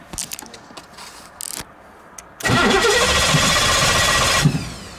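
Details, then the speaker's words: Cobra broken down on the road, cranking; starter spins steadily about two seconds with clicks beforehand but never fires, seemingly getting no fuel though fuel can be smelled and no leaks found; crank no start, cause unconfirmed. "It's like it's not getting any fuel at all now."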